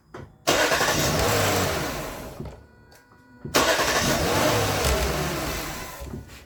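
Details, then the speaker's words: 2008 Lexus LS460, first startup after starter replacement: two quick, clean starts, each catching instantly into a smooth idle with no starter grind; the new starter engages properly. "sounds beautiful I can't complain"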